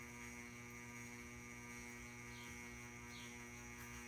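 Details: Ceiling fan running: steady constant hum with stacked high buzz, unchanging; cause unknown, owner assumes electrical.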